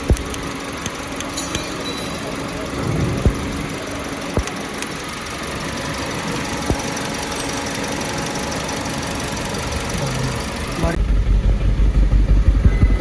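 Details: 2024 Toyota Yaris with a missing problem: idle thrums unevenly with an irregular stumble, about three pulses a second; misfire detected, cause not evident.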